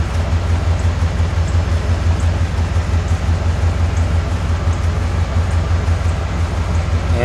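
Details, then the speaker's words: 1991 Cadillac Brougham at idle, meter about 10 in from tailpipe reading about 68–70 dB: deep steady rumble with a distinctive throb about twice a second; drone from a muffler installed backwards and upside down and a missing resonator. "and you can clearly hear as well as see on the meas on the meter a distinctive beat sound about uh twice per second"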